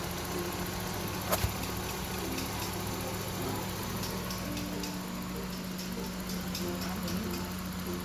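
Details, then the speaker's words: Toyota AT190 with 4AF engine that would not start, after fuse box replacement: quiet, steady idle with an even low hum, revs normally, electric fan works; no misses, knocks or stumbles. "นี่ครับติดเครื่องได้เร่งปกติทดสอบพัดลมครับพัดลมไฟฟ้าครับทำงานได้ปกติครับ"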